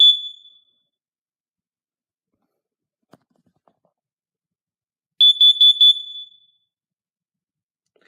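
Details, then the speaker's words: Home test: single shrill beep, silence, then four quick piercing beeps as the Kidde carbon monoxide alarm test button is pressed; the alarm works. "just for a quick bonus let's test this kid a carbon monoxide alarm"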